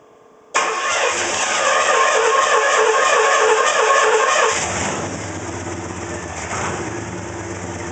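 Engine fires up, revs, then settles to an idle with an uneven, lumpy pulse instead of a steady hum; rough idle.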